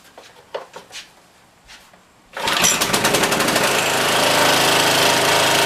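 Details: Briggs and Stratton OHV small engine after fixing a broken mounting bracket held by one bolt, primer bulb pushed; a couple of slow pulls, then catches and settles into a steady even beat, no knock, shaking slightly; normal running.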